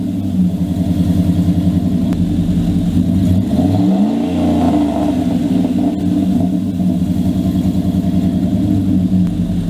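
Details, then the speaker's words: 2000 Dodge Dakota after repair of an exhaust pipe rusted through at a hanger, joined with clamps as a quick fix: deep, even exhaust rumble through a brief rev and settle, no puffing or ticking leak; exhaust sealed and healthy. "well guys as you saw and heard i got my exhaust fixed finally"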